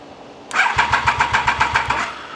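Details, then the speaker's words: Triumph Daytona 955i, injectors cleaned, fuel pressure confirmed, fires on easy start; cranking without it: starter spins about six even compression pulses a second for just over a second, never catches; cranks but won't start, owner suspects insufficient air intake. "I got no flipping clue. Eh, none. Why she won't start is beyond me."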